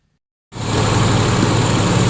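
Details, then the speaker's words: Nissan Xterra 3.3 just after catalytic converter replacement and O2 sensor install for P0420, first start-up: starts straight into a smooth, steady idle with no ticking or puffing. No exhaust leaks. "right, no leaks. Sounds good. No exhaust leaks."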